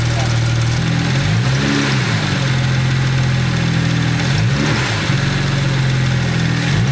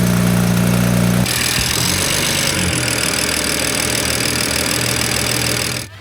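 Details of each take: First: BMW idling warm after a fix: smooth and steady with faint belt whir, and the earlier knock or tapping heard toward the oil pan is gone. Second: BMW E93 turbo petrol idling: dull knock about four per second and light wastegate rattle; aftermarket aluminum oil cap's cage fell apart, oil pressure not properly regulated.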